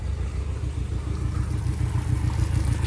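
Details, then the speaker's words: Yamaha 60 hp outboard on a 17'5" Bay Craft skiff, first start, shifted into gear and back to neutral with steering cable unhooked: low steady burbling idle, slightly lumpy but settled; running well. "All right. I mean, she's idling good. Uh, she's a little eh just because the the steering is not holding her down at all."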